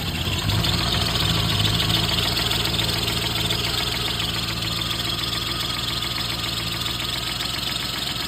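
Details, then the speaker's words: Car with lean-condition O2 sensor code, smoke from exhaust and bad smell; steady idle with fast light clatter about three or four per second; helper thinks cam components are noisy, earlier knock seems gone; abnormal engine noise at idle. "You know what? It almost sounds like your cam things are making noise."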